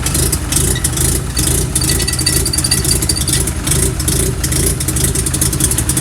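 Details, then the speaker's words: 1988 Mazda RX-7 GXL, J-spec S5 13B turbo on MegaSquirt II and E85, at 11.5 volts: rough rotary idle and quick rev with loose pop-pop-pop and a squeak from a very minor exhaust leak at the downpipe. "with that popping sound here there is right at the downpipe I got an exhaust leak very minor one you can hear it just called pop pop pop you know"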